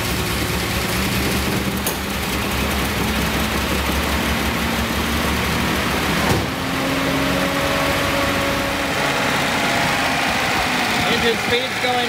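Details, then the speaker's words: 1976 Datsun 280Z, fuel injected, on its first start after sitting, with fuel pressure: it catches and settles into a steady even idle, then later dies; mouse-packed foam blew out of the exhaust. "first trial start of the datsun 280z got fuel pressure [Laughter] there it goes it's running"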